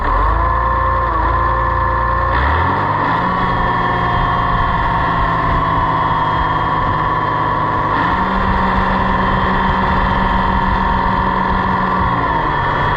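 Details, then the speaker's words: Oliver 1755 tractor, warm, gauge on hydraulic system reading about 1600–1800 PSI: engine note drops and steadies under load as valve turned in; relief valve starts blowing near 1700 PSI, too low, needs shims added. "all right now I don't know how much you can hear on the camera but if I turn it in you can hear the relief valve below right about there it's starting to blow and that won't work so we'll back it off"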